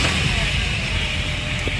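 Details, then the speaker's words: 2000 Chevrolet Impala 3.4L 3400 SFI V6 after replacing torn evap hoses (purge solenoid circuit and bank 1 lean codes): engine catches straight away and settles into a steady, even run with no stumble or misfire; no codes, normal start. "Turns right on. No codes. So I mean, if you needed to, I could still pass inspection."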